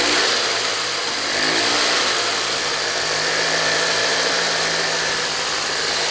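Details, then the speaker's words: 1983 EZGO two-stroke golf cart, nearly 40 years old, after new carburetor, cleaned tank, new fuel lines and filter, new battery cables: steady even buzz, smooth idle, no misses; runs healthy though it smokes a little. "does it go yeah it scoots you around it's nearly 40 years old"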